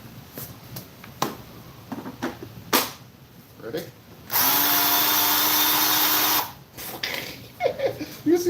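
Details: Ryobi 10-inch battery-powered electric chainsaw with old Ryobi battery and busted oil cap, first test: short steady two-second whir at constant pitch, no rattle or labouring; runs smoothly.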